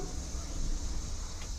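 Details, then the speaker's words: Pontiac Trans Am, about 1000 hp turbo small engine on 21 psi boost, fuel system work with fuel pump fuse left in: key-on fuel pump primed a few times, steady low electric hum under two seconds, no stutter; normal fuel pump prime. "I guess this one I forgot so that's a primer a few times"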